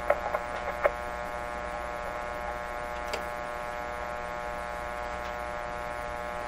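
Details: 1925 Magnavox Type D TRF (tuned radio frequency, no IF stage) radio during restoration attempts: a steady low buzzing mains hum with a few faint ticks and no program sound; powers up but passes only hum, and something is microphonic.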